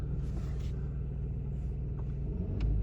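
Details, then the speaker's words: 2003 Audi A3 2.0 petrol, first start after 10 years sitting, with only the battery replaced: fires within seconds into a steady, even low idle with no knocks, ticks or misses before the auto choke drops off; normal idle. "So not started in 10 years and it fired up after a few seconds. Well done, Audi. I'm impressed. Sounds pretty well, really."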